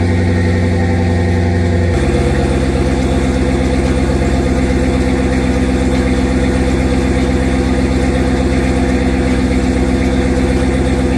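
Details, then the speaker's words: Turbo Redeye after a sensor replacement and two and a half to three weeks sitting, on a very hot day: it catches in two seconds and settles into a steady idle with no stumble, though code P0300 remains; normal idle. "C sleep all right so we still got the code but you can hear is idling just fine"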